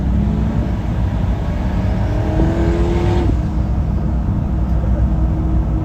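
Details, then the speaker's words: Turbo Chevy Nova V8 on its first drive in years, heard from a following car under boost: deep rumble with a turbo whistle climbing then dropping, spooling cleanly with no rattle; owner unsure whether timing is being pulled. "sounds clean make turbo noises it makes turbo noise it sounds pretty good"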